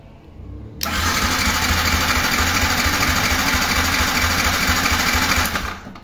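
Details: Yamaha YZF R15 fuel-injected motorcycle that died and won't restart: about five seconds of even starter churning, roughly three beats a second, never catching despite confirmed injector pulses and spark; cranks but won't fire.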